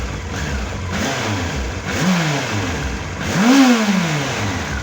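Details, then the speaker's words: Honda X4 motorcycle after valve adjustment and carburetor synchronization: idles, rises through two brief blips and returns to steady idle each time, partly masked by workshop extractor fan; normal idle. "Работает очень хорошо. Отсинхронизирован. Обороты стоят."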